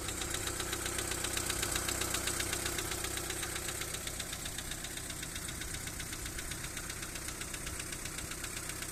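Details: Daewoo Nexia 1.5 second generation after a backfire at the intake flap: crisp regular knock about four per second with sharp metallic tick over steady idle; hydraulic lifter work did not change it, cause unknown.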